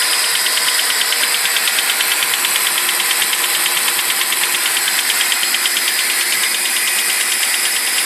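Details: BMW 745i E65 after a cold start at 2°C outside: fast even clacking, about three ticks a second, over the idle, disappearing after 1 min 20 s; owner suspects an old chain tensioner, unconfirmed.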